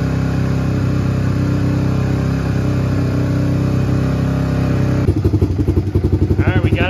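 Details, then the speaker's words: Old Honda Fourtrax ATV sitting for years, choke moved to first notch: uneven single-cylinder idle with a sharp puffing tick on each firing, from several exhaust leaks; it also stumbles when throttle is first applied. "idle definitely have an exhaust leak [Music] oh yeah look at all them exhaust leaks holy smokes"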